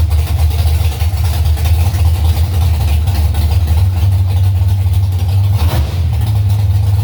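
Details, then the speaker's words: V8 with recently adjusted carburetor (tuning a staging stumble), after flashing the converter: idle hangs high, raised fast burble after throttle blip while warming up; owner plans turning idle mixture screws out on all four corners. "got out the throttle it wanted to idle really high so it's warming up now idle's coming up"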